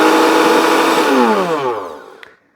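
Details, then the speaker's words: Kenwood BLP41 blender tested on the pulse function: an even, smooth motor whine with no rattle or grinding, then a clean spin-down; working normally. "We have a pulse function. Let's give that a burl. Oh yeah, it sounds pretty good."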